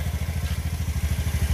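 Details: Honda Scoopy after repairing shorted ignition output wire that kept blowing 5A sub-ECU fuse (no fuel pump hum, no spark): even low thumping about thirteen beats a second, no misses or clatter; normal idle.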